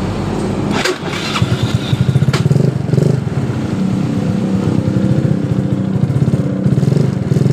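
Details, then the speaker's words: Yamaha Mio Soul scooter: rough, gritty rasp under the cranking pulses when the electric starter is pressed, fading once the engine fires and settles into a steady idle, returning at shutdown; starter drive grinding, starter motor or one-way clutch to be checked. "Tapi saat motor sudah hidup dengan normal, suara kasar tadi hilang. Tapi coba kita matikan ini motor, apakah suara kasar itu timbul lagi?"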